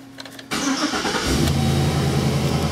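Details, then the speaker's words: 2005 Chevy Express 3500 van, no-start with no fuel pump operation, after fuel pump relay circuit ground fix: engine catches on first try and settles into steady even idle; normal start. "it goes it started I didn't really see the gauge mess up but the customer said that it did"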